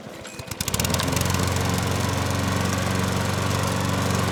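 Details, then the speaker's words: Troy-Bilt push mower that would not start, after carburetor cleaning: fires within a couple of pulls and settles into a steady, even drone at constant speed; normal running. "And then you never know. It's just going to fire up. That's pretty good, wasn't it? That's good."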